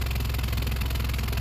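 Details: Honda CR-V 4WD idling with a rapid, even puffing chuff over the low rumble: exhaust escaping where the rotted, melted flange between intermediate pipe and rear muffler has failed; pushing the pipes together quiets it, split-flange repair fitted.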